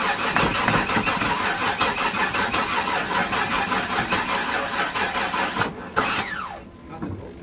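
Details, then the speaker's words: 1996 Chevy Tahoe bought sight unseen, sold as a runner, after starting fluid sprayed in the intake: starter cranks steadily two to three turns a second, never catches, battery tiring; jump start planned. "nothing so as you can hear the battery is already getting tired so we'll bring up some uh jumper cables and probably boost off of this"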